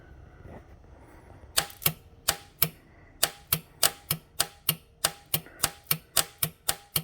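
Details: Starter coated with leaked oil, engine turns freely by hand at the crank pulley; starter triggered directly from battery power with a jumper wire: sharp rapid clicking about three per second, no cranking, then smoke from the starter; failing starter.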